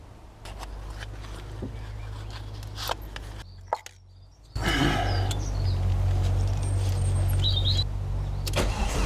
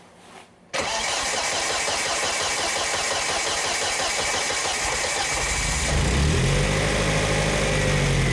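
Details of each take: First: Volvo S40 with Holset HX40 turbo on new Speeduino ECU: steady, even cranking at about four beats a second never catches; ECU reads no engine speed though fuel smelled; crank sensor polarity found wired the wrong way, timing out. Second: Volvo S40 with Holset HX40 turbo, newly fitted Speeduino standalone ECU: first start after setting -90 trigger offset and confirming timing with a strobe; engine catches within a second and settles into a steady, even idle; mixture judged too lean.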